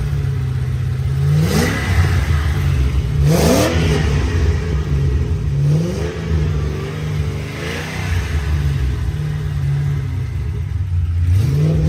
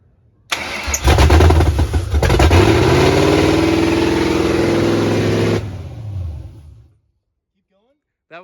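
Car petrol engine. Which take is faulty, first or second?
second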